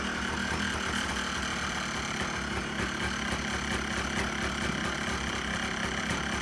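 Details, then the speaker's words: 2001 Yamaha Blaster two-stroke, sat for years, running after its carburetor was cleaned of dried fuel clogging the main and pilot jets: even, buzzy idle at a steady pitch with no stumbling or surging. Normal idle. "you have it guys sounds pretty good to me so here she is running my 2001 yamaha blaster"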